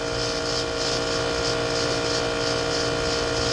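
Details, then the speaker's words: Home AC unit noise noticed yesterday; fan blowing and air cold, but steady whirring tone with faint pulsing swish about three times a second, owner suspects a bearing; not very loud, cause unconfirmed. "Fans blowing cold, air is coming out cold in the house, but that weird noise. I'm not sure. Almost sounds like a bearing or something. Not super super loud, but"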